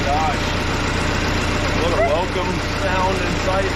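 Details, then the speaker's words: Case 188D diesel tractor engine idling at first fire-up after a 54-week rebuild, injector pump just refitted, throttle worked by hand; smooth quiet even chug, no knocks or misses; normal idle. "is nice and quiet we're just gonna let her idle"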